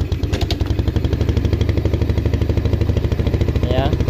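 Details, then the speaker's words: Jupiter Z motorcycle bought in poor condition. After the clutch and double clutch bowl were replaced and a second reed membrane was added, the single-cylinder idle is even and steady with no knocks, much smoother than before. Normal idle. "perbedaannya yang pasti suaranya jauh lebih halus dari sebelumnya"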